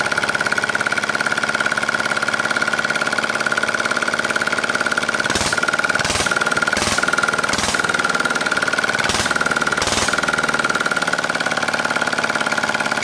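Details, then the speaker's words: R180 single-cylinder diesel after repair for hard starting from lost compression (valves reground, piston rings replaced): steady, even thump with a clean regular beat and no misses; running healthy. "Oke siap diambil Hai pink Oh ya baik tadi sudah kita coba ya dan sudah oke siap diambil pemiliknya mudah-mudahan awet dan lancar baik"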